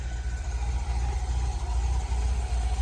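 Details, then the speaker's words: 1972 Datsun 240Z at idle before a long-tube header and custom stainless steel exhaust are installed: deep, lumpy, uneven low throb about two beats per second; loud, rough exhaust noise, cause not evident. "doing just installing a header and then building a custom stainless steel exhaust. We're gonna fix that noise and we'll see how this thing comes out."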